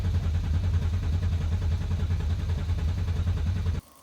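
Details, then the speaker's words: Porsche 997 911 Turbo, manual, with a replacement engine on its first start after rebuild: low, steady flat-six idle with some belt noise but otherwise quiet, no knock or rattle. "There is some belt noise in there, but otherwise, this sounds really quiet."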